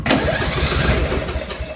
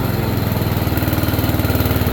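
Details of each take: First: Free roadside riding mower turned over on a newly fitted battery: engine spins over quickly and evenly with little resistance, no labouring on compression strokes; owner suspects low compression, unconfirmed. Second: Free riding mower's first run after a new fuel line and a cleaned tank, started on a jumper box. Idle is set very low and reluctant at first. Even, low thumping idle around 220 beats a minute with no misses or surging.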